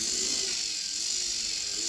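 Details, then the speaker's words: Lima class 50 model locomotive during wheel cleaning and servicing, motor run at medium speed from a controller: smooth, even high-pitched whir at steady speed with no rattles or catches, back in operational condition. "as you can here this 50 is back into operational condition"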